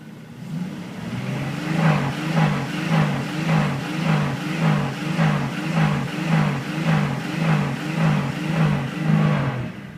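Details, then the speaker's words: 1998 Jeep Cherokee, 4.0L inline-six, AW4 automatic, 190k miles, on jump box: revved toward about 3,000 rpm, lumpy stumbling surge with a bad misfire and knock; won't idle well, tends to stall; cause unknown. "There's a knock and when you rev it up to maybe 3,000 RPMs, it's got a bad misfire and a knock as well."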